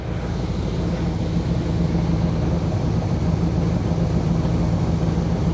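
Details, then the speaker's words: 1979 Chevy Camaro barn find sitting over a decade, carbureted with no choke, fast idle knocked off: even steady low rumble at idle while warming up, original exhaust with big canister muffler; possible blue smoke, rings suspected. "see if it'll idle normally now there we go let it just warm up sounds pretty good"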